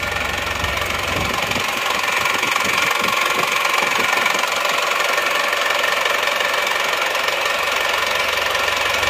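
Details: Isuzu Panther diesel after broken-crankshaft rebuild: fast fairly even idle clatter with slight hard edge, smoother than before; mechanic suspects the injection pump, recommends pump service, unconfirmed.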